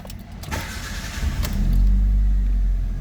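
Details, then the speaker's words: Proton Waja auto 1.6L 4G18 with an idle stepper motor (IACV) fault diagnosed: brief crank, clean catch, smooth even idle with AC on, stepper at 60+ steps, no knocks or misses; normal. "Okey, start habil duduk dekat 8 set plus minus staple motor 69 60 stack ke ataslah."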